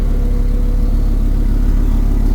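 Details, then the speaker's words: Mopar dually pickup V10 after throttle body cleaning and new air filter, misfire cleared: low steady idle with even beat, no stumble or surge; smooth, healthy. "that sounded a lot better. Lots better. Much more better. More betters. There we go. Alrighty. Well, the mighty V10 is still mighty."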